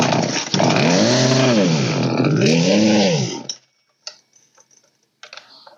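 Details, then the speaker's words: Old Poulan 3616 chainsaw (16in bar) after carburetor high/low and idle adjustment revs up and falls back twice smoothly and evenly with no stumble or bog, then shuts off; normal running. "and there we go son of a [Music] there we [Music] go that's good"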